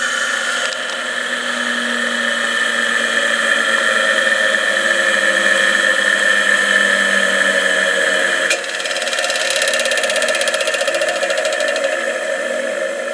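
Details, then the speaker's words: Delta 8-inch bench drill press, 1/4 HP 1720 RPM 115 V 60 Hz 5 A induction motor, run with no belt attached: steady smooth hum, no rubbing or grinding, then a sharp click at switch-off as the centrifugal switch engages; normal. "that click was a centrifugal switch engaging"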